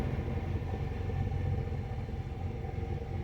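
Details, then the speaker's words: 2006 Nissan Altima after installing a brand-new Duralast throttle body and attempting the zero idle position setup: low, uneven rough idle with an unsteady beat; owner hopes it is just the relearn, which needs the engine warm, and suspects a battery reset may be needed. "zero idle position seems like it's running crap right now sure hope it's just the relearn"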